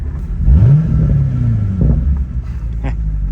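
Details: C6 Corvette under rebuild on its first test drive after frame repair, held in low gear with clutch barely let out and tyres rubbing: deep, smooth exhaust note rising steadily, no knocks or misses; healthy engine.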